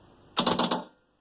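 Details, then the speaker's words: Kwadoo pool robot switched on in the water: right after start, a quick burst of about six sharp clacks in half a second, then quiet before the motor launches; the electromagnetic unit is switching properly. "on a entendu les plaques les claques ça veut dire que l'électro le mans le fonctionnel sur votre robot"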